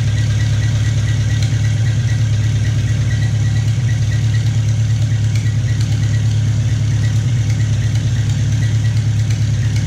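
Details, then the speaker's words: Farmall Cub tractor after piston ring install, first run: steady, even low idle, no knocking or misfire, not smoking; small antifreeze leak around the head gasket. Normal idle. "and it sounds good not smoking I got a little bit of a leak around the head gasket antifreeze"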